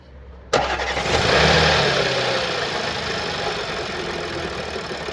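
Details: 2013 Audi S4 B8, 3.0 petrol CGWC engine, 245 kW, 188,866 km: cranks and catches, then a busy idle with a harsh, uneven rattle; timing chain has skipped teeth.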